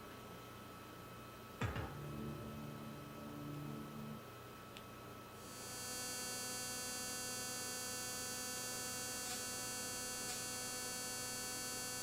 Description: noise from speakers when fast forward is hit or when navigating to main menu